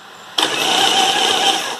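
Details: 1987 Harley Evo with spark plugs out, so no compression pulses: the starter spins up with an even whirr and winds down cleanly when released. Cranking is normal after fixing a starter that stuck on.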